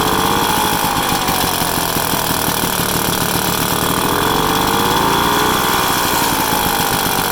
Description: 1966 Vespa SS180 engine on the stand for it's first start up after rebuild.